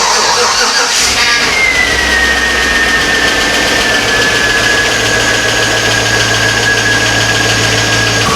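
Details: 2004 Chevy Avalanche 5.3 V8, first start after engine work: catches on the first try and settles into a smooth, even idle with a faint whine fading down. Normal idle.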